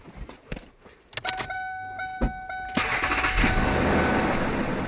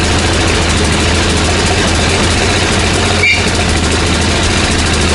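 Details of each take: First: 1999 Ford F-150 XL, 215,000 miles, after new exhaust pieces (muffler, Y-pipe) were installed: a chime, then the engine cranks, catches and settles into a steady, even run with no exhaust puffing or ticking. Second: 17-year-old Ford F-150 with 215,000 miles, revved hard: a rough, straining engine that never pulls cleanly, with an occasional backfire pop and a rotten-egg smell. The owner suspects catalytic converters clogged after the lower intake manifold gaskets failed; the muffler is rusted through.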